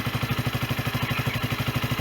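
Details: Sinnis Bomber 125 single-cylinder motorcycle, 2661 miles, after service (new air filter, oil and oil filter) and new exhaust (from an AJS Cadwell) and gasket: steady, even thumping idle, no knock, rattle or exhaust blowing; runs as it should.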